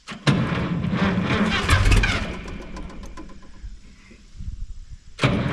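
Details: Minneapolis Moline G900 LP tractor that quit in the field, cranked after a coil swap on a weakening battery; it fires a couple of ragged beats then dies. Cause found to be a bird's nest.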